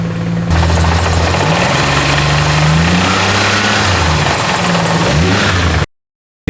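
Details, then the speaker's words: Ford AU XR6 after a manual gearbox swap with a used gearbox bought online, first start in neutral: loud, harsh rattling over the idle, like loose bolts churning, with the clutch out; the gearbox turned out to be blown up. "What's that noise? Maybe we'll go with the clutch, hold on. Whoa. Oh, what's going on? Bro, it sounds like the box is blowing up."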